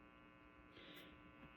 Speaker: here's habit number two that it has that I'm not too big about ground noise this thing makes a lot of ground noise